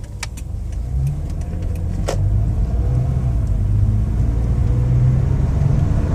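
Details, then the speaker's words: 2014 Toyota Sienna L wheelchair van, 60,000 miles, test drive with AC turned down: smooth low engine hum under road noise, no knocks, whine or clunks; engine and transmission running normally. "The point of this test drive is so you can hear the transmission shift, the engine run. I am turning the air conditioning down, not because of lack of power, just so you can hear everything moving."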